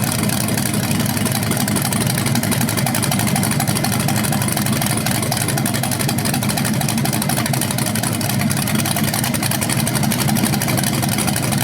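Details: BluePrint 396 crate engine for a 1970 Camaro SS on its first run after oil priming and timing check: loud, steady, even lumpy idle beat, no knocks or ticks; no leaks, healthy.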